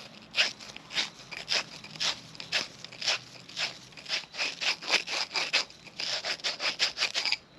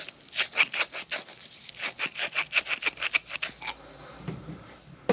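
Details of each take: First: 1940 Harley-Davidson UL 74 flathead oil feed pump, plunger seat being lapped with grinding compound: repeated short gritty scrapes about twice a second ease off toward the end as the seat beds in and the sound quiets. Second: 1940 Harley-Davidson UL 74 flathead oil feed pump rebuild, hand-lapping a check ball seat with light pressure: rhythmic sandy scraping strokes about three a second fade to quiet near four seconds as the seat beds in.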